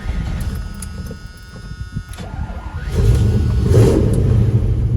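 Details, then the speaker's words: 1983 Chevrolet C10 4x4, 350 V8, 4-speed manual, cold start: the starter cranks briefly, then it catches and settles into a deep, steady rumble with an even exhaust beat. Normal cold start and idle. "Got good sound and exhaust."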